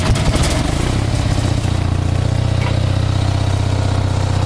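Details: Onan CCK-4R 5 kW three-phase dual-fuel generator, enclosed, putting out about 123–124 volts, powering a heater load: steady, even drone with a smooth regular beat and no misses or knocks, normal running.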